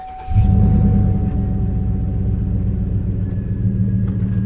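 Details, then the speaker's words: 2003-09 Chevy Trailblazer 5.3L V8, first start after replacing a starter that cranked weakly with a whine (battery good): brief clean crank straight into a firm steady low rumble, no starter whine, settles to idle; normal. "See how smooth that sounded? That's it. That's a very smooth cranking. None of that whining."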